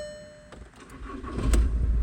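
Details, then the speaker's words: Budget overlander project vehicle, first turn of the key with clutch down: short chime, engine catches almost at once and settles to a deep even rumble, no dual mass flywheel rattle. Normal cold start. "Oh, first turn of the key, and listen to it. It just sounds like exactly how it should. Normally you get dual mass flywheel rattle or whatever it might be."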